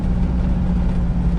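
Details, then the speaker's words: VW Beetle on the road, heard from the cabin, after exhaust leaks fixed and new fuel system: low even engine rumble with no puffing or ticking; exhaust now much quieter and sealed. "exhaust is a lot more quiet a lot more quiet on the inside like i could almost i almost don't hear it from here"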